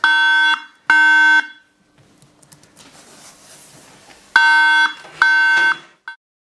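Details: Apple iMac 3.6 GHz Intel, Mac OS X 10.7.3, at power-on: loud clear beeps in groups of three with pauses, a RAM error; fixed by reseating the memory modules.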